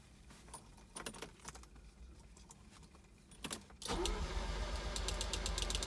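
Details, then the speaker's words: 1983 Ferrari 308 QV project car, cranking after adding fuel: slow, uneven cranking around four turns a second with weak chuffs, never catches. Owner blames a low battery; the relays click and the fuel pump seems okay. "you can hear it almost kind of chugging a little bit there I've had it better than that but yeah now I've got low battery again"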